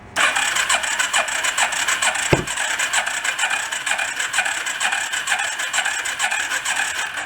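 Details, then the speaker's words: Long-unused rat rod four-stroke quad, hard to start cold, run on a jumper pack with premix in fuel: thin uneven sputter at about two beats a second with one sharp pop, suspected backfire through the intake; improving as it runs. "like a pop back through the intake didn't it like impressions getting a little bit better as it runs"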